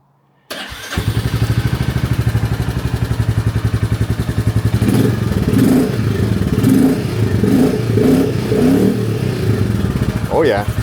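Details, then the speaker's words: Royal Enfield Classic 350 restarted after upgrading to a performance air filter to fix a check-engine code for reduced intake airflow: fires within half a second into an even single-cylinder thump, clean throttle blips rising and settling, more aggressive sound, healthy. "it has a more aggressive sound now. You can hear that."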